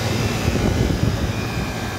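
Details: Old Carrier rooftop package AC unit not keeping temperature, dirty condenser coil suspected, compressor sounded okay: steady, even low rumble running with no knocks, rattles or squeal; sounds normal.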